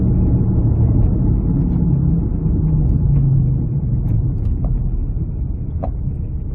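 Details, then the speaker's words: Rear wheel bearing on a 2006-2012 Ford Fusion 2WD, heard while driving at highway speed: a steady low droning hum under road noise that holds constant as the car cruises, from whichever rear bearing is failing. "Once you get going down the road, it's going to start humming, whichever bearing is actually failing."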